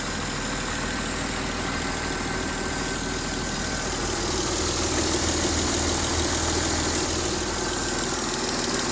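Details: M272 engine at idle: a steady idle with a light, quick tick of roughly three per second riding over the engine; an unexplained ticking at idle.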